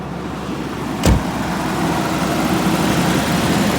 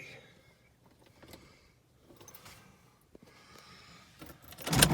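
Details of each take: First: 1989 Jaguar XJ6 Vanden Plas first run in years on a new battery: soft, uneven idle with a thump near the start and no steady rhythm; rough idle after years of sitting, cause not identified. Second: 1989 Jaguar XJ6 Vanden Plas, unstarted for years, with a new battery installed: brief crank, then it catches quickly and settles into a steady, even idle; starts and runs cleanly.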